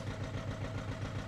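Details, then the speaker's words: Audi A4 2.0 TDI first start after turbo replacement, residual oil in cylinders; lumpy uneven diesel idle, about seven heavy pulses a second with regular stumble, not running on all cylinders; one or two injectors suspected; misfire. "Sounds like it's not running on all cylinders. Okay, it is definitely running rough."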